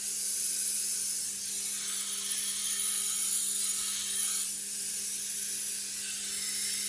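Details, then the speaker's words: Tormek wet grinder sharpening a badly damaged cleaver at 320 grit (about 960 grit): a smooth, soft hiss of steel on the wet stone over a low motor hum. The grinding is quieter and less crunchy, which is normal fine-grit sharpening. "nice you can hear the grinding is quieter less crunchy looking beautiful"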